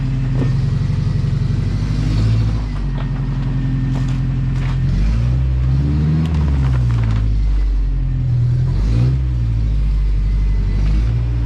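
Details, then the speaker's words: Lowered 1987 Toyota pickup SR5 driving with its newly installed exhaust: deep, clean exhaust drone rising and falling with throttle, no rattles; healthy. "ah i've ordered that for so long you have no idea we're gonna get in so much trouble oh my god that thing sounds amazing oh i love this exhaust"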